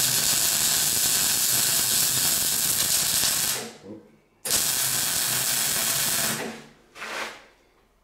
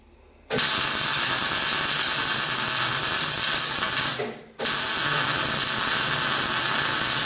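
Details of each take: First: MIG welding on a classic Mini roll-over jig over uncleaned painted metal: harsh crackling weld hiss with sputtering pops. The spatter comes from paint contamination and gets better as the paint flakes off while welding. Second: MIG welding on a Classic Mini shell roll-over jig with a good welder: after spatter from the unclean paint burns off, a steady even frying crackle without popping shows the paint has gone and the weld is clean.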